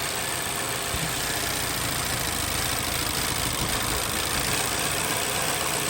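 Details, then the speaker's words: Vauxhall/Opel Insignia 1.6 SIDI A16XHT petrol engine idling after the failed PCV valve was repaired. The squeal from the camshaft seal is gone, leaving an even, quieter hum. "I don't hear that whisking sound coming from here um I need the car to walk not to see us that can can um seal still midnight hopefully no more noise"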